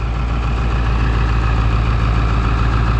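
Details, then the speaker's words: 2002 Ford F350 4WD 7.3L diesel, restarted after being driven 30 miles on 17 gallons of gasoline and refilled with diesel: deep, even clatter at a steady idle, no misses or smoke; normal idle. "no smoke nothing like that it's running nice and smooth right now"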